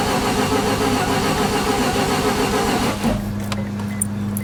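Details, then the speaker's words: 1988 Mazda RX7 after clutch master and slave cylinders, gas tank, aftermarket fuel pump and fuel filter replaced: fast even cranking whir for about three seconds, then a faint hum; engine turns over but never catches, pumping the gas pedal does nothing, pump not heard. "That doesn't do anything. Pumping the gas pedal does nothing."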